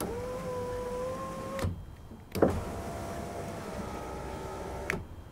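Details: Ford Mondeo mk4 passenger door after replacing the electric window regulator: steady, even motor hum raising the glass, a clean thump at the stop, then a smooth run back down. Normal power window operation.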